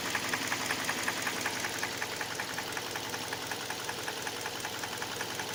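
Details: Hyundai Elantra 1.8 engine: sharp, regular knock near three per second over the idle. It knocks both cold and hot and gets louder as revs rise; cause not yet pinned down.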